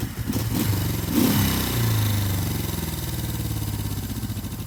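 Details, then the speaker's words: 1972 Honda CL350 K4 twin, original 7,600 miles, long parked, carbs sonically cleaned with new needle valves: fires up, quick rev, then a steady even twin beat with no stumbling; normal, healthy running. "So, does it run? Of course it runs. Let's crank it up for you."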